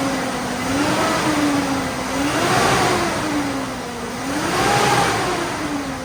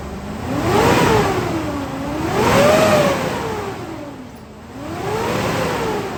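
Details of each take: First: GMC Yukon V8 after installing a new AC Delco 15-4694 fan clutch, several blips in the garage: rises and falls smoothly, no fan roar or drag, garage echo; normal. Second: GMC Yukon half-ton with a cheap aftermarket fan clutch, three revs: loud roaring whoosh climbing and falling with engine speed; fan clutch stuck engaged, not slipping at higher RPM, to be replaced with AC Delco 15-4694.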